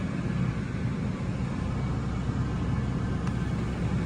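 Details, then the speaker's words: 1995 Lincoln Continental, 4.6-liter overhead-cam V8, estate-bought, running in a 57° shop: steady, even low rumble with no knocks, misses or whine; smooth, healthy idle. "it's St would show you that that little engine really really runs good that's a overhead cam 4.6 like I had in a Mustang one time"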